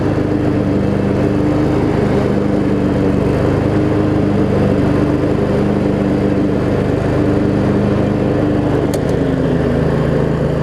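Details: Craftsman riding mower, Briggs & Stratton V-twin, after shift hub repair, started on choke and driving: steady even drone at constant speed, no misfires or knocking; running pretty good.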